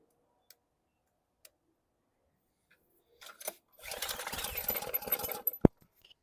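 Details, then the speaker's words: 2020 Ryobi RY802900 pressure washer with Ducar engine, new low-quality plug, spark unchecked: after carb cleaner is sprayed into the intake, the engine fires raggedly for about two seconds, then dies; the owner thinks it may need a little back pressure; fuel delivery suspect. "Did you hear that? Uh-oh. It kicked off. Need a little bit of back pressure, maybe."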